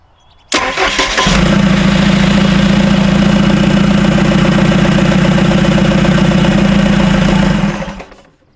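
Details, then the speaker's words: Freshly rebuilt Isuzu 4BD1T diesel in a Hitachi EX120-2 excavator, first start: cranks, catches and runs about six seconds with a slightly uneven beat before shutting off; suspected air in the fuel system. "one okay that was maybe a little air in the fuel system there down there that's good"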